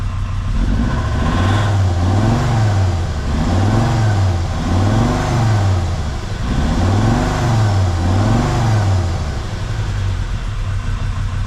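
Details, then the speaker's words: Jeep WJ Grand Cherokee 2.7 CRD diesel with injector problems, throttle test after Liquid Moly; repeated revs rise and fall smoothly with no knocking, and the engine sounds better, though it is still smoking a lot, only slightly less. "Anyways, the engine just sounds better now. There's no knocking noises."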